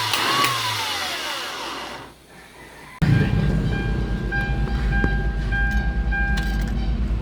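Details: Hyundai Starex diesel after its hard-start problem was solved, with the heater plugs heated about 8–15 seconds: short crank, then it catches at once into a steady even idle with a faint whistle.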